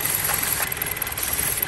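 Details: 2011 Chrysler 200 four-cylinder idling while liquid is sprayed on the intake manifold: the idle stumbles with an uneven, lumpy beat as the liquid is drawn in, a vacuum leak from a damaged intake manifold gasket that needs replacing.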